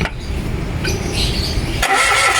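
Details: Mitsubishi Mirage G4 cranking during basic no-start diagnosis: starter turns the engine over at a steady speed but it never catches or picks up; cranks but won't start.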